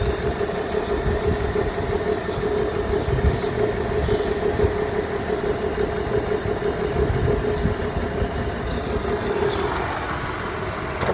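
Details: BMW E46 at idle with check engine light on: uneven, irregular stumble and rough lumpy beat under a steady hum, a misfire.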